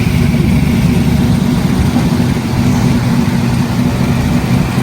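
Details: 1985 Chevy C10 squarebody with 6.0 V8 and 4L80 transmission, oil checked good: deep steady V8 rumble with even lope, no ticking or knocking; healthy idle.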